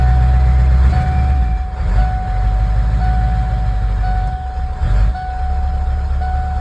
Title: 97 f-250 power stroke. Hard start and stall.